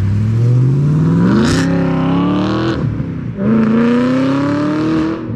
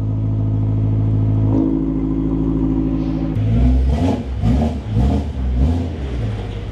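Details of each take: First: 2008 BMW E92 M3 V8 with old rusted exhaust, muffler cut off and replaced by stick-welded parts-store pipe, driving through two gear pulls: raw very loud bark with a brief dip between shifts; straight-piped, obnoxiously loud. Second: 2008 BMW E92 M3 V8, first start after installing a new Turner valved stainless exhaust, short run pending a new coolant line: deep crisp blips climbing and dropping cleanly through repeated revs, no misfire or knock; healthy.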